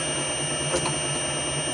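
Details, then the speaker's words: Motor on VFD with carrier frequency (F07) back at its previous setting: constant high-pitched switching whine above low motor hum, unchanging pitch, noticeable but manageable. "and press enter again that's back to where we were and that's sort of manageable"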